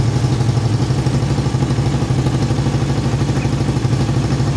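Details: Yamaha Vixion after repairing total electrical loss from a detached ignition-switch connection: single cylinder thumps at an even steady idle with no misses or stalls; running properly.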